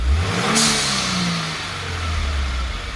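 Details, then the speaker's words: 2018 Subaru WRX with newly installed Go Fast Bits (GFB) blow-off valve, second rev test: sharp rev, quick hiss as the throttle closes, engine settles cleanly with no stumble; normal blow-off valve venting. "okay so it doesn't sound like it's tumbling it actually sounds pretty good I'm half tempted to soften it up a little bit and see if we can go a little bit better adjustment"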